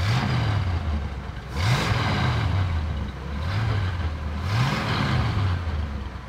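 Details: 1965 Chevrolet Impala, first run after 20 years sitting, timing set to about 30–32 degrees total with vacuum advance reconnected: steady low burble with gentle speed rises and falls, firing evenly without misses or knocks; getting a little warm, healthy idle.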